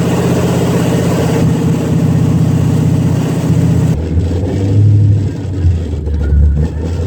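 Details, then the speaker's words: Long-tube headers with H-pipe not yet connected, car on the ground after header, motor and transmission mount install: deep, loud, raw V8 burble swelling when revved, settling to choppy idle; loud open-header exhaust, no fault heard. "I do still need to connect the h-pipe but I definitely want to give it a rip one time with open headers just to see what that sounds like so you'll be hearing that a little bit"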